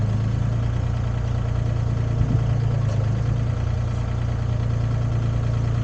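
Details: Used Komatsu PC10-3 mini excavator diesel at low idle, set just high enough to keep the battery charging: a steady, unhurried chug with no knocking, rattling or hunting; normal low idle.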